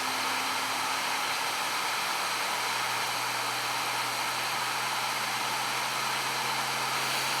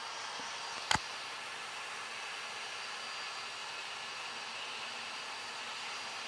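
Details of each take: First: New Flashforge Adventurer 5M 3D printer running its post-leveling vibration calibration, side to side, with the owner's hand on it: a steady hissy buzz with a low hum, like an out-of-balance fan. The cause is suspected, not confirmed. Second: New Flashforge Adventurer 5M 3D printer during its vibration calibration, now moving back and forth and speeding up until it is just heard as a buzz: a steady, high-pitched buzz with one brief click early on. Normal calibration.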